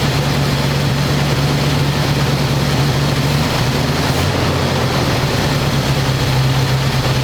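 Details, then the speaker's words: 1985 square body truck, 454 big block V8, 4-speed, sitting 20 years, after refitting air cleaner and vacuum lines and adjusting idle screw that wasn't touching throttle: steady, even low rumble, no stumble or hunting. Normal smooth idle. "it's idling pretty smooth"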